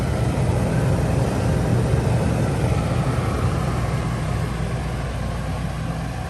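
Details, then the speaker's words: Coleman Mach 3 NDQ rooftop air conditioner in Winnebago Travato 59GL van, low cool mode: steady hum, drone and fan rush, no rattles; compressor vibration noticeably louder than Truma Aventa, fan noise similar. "So I am going to say that the fan wind noise is about the same, but the compressor vibration and hearing it work is quite a bit louder on this model than the Truma."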